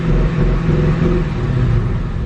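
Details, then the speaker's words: Rebuilt wrecked 2015 Ford Mustang GT: heavy, uneven, lumpy wavering rumble at idle, with the whole car shaking. Rough idle; cause unknown, owner plans to rescan for remaining codes. "something's not right the whole car is shaking and this doesn't seem right"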